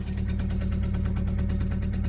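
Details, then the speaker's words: Fiat Panda 4x4 after a shock replacement, idling while reversing: idle wavers slightly with a quick, light tappy ticking and runs a bit rough. Owner suspects the spark plugs, not confirmed. "Oh yeah. Seems like it's running a little rough. Maybe that's just me. You can hear like a little tappy tap tap tap tap."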